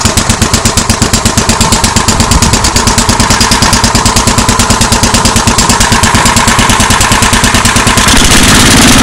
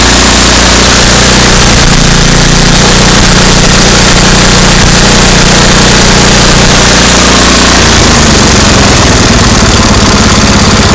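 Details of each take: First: MTD 8 hp 26-inch two-stage snow blower with Tecumseh engine, carburetor just refitted, idling with a rapid even putter of about three beats a second that thins out as the bottom mixture screw is turned in until it stalls: lean idle. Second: MTD 8 hp two-stage snow blower, Tecumseh engine sat about 10 years, after carburetor work and backing the bottom mixture screw out: steady even idle with smooth low putter, no misses or hunting; normal idle, slight sputter only when pulling up to speed.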